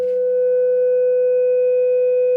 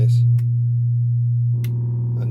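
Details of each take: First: Repaired Fender Hot Rod Deluxe after filter cap and circuit board restoration, warmed up and reassembled, signal generator into input, output into 8-ohm dummy load and oscilloscope: pure steady test tone with no crackle, buzz or breakup, passing signal cleanly. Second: Fender Hot Rod Deluxe valve amp, back off and powered up: steady low fixed-pitch mains hum; substituting capacitance across a smoothing cap cured it, confirming a failed HT filter capacitor needing replacement.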